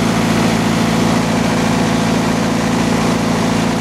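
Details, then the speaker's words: MEP-004 military mil-spec diesel generator, converted from 3-phase to single split phase, running after fueling and start: steady, even diesel drone with smooth low throb, no knocks or misses; running healthy, normal. "That's for sure, she don't care. Running right along."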